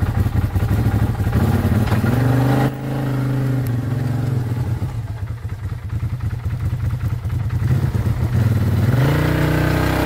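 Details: 2012 Arctic Cat Wildcat 1000 in snow, after replacing the melted main ignition fuse: engine catches and revs rough then steady; an intermittent click, suspected ground issue in the fuse box, remains.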